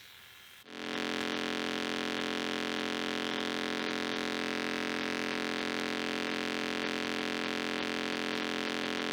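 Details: Sound Blaster Pro 2 (CT1600) sound card: switches on into a steady hiss with a fixed whining tone over it and no proper music (FM music doesn't play); a shorted output amplifier chip.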